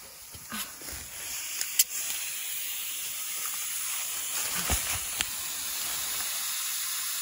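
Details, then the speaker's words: Tire on a 1967 Chevelle dirt-track race car that sat in the woods with the beads underground, being inflated: steady high hiss of air escaping where the tire bead fails to seal. "I think I already hear it coming out of that tire yeah yeah it is"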